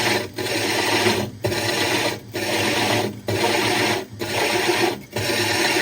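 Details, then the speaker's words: Hole saw drilling 60 breeder aquarium glass with water added: rasping grind breaks up about once a second with a dull knock each cycle; knocking means the saw is nearly through the glass. "So he added a little bit more water, and we should be pretty close. Yep, you can hear it knocking there, so we're close."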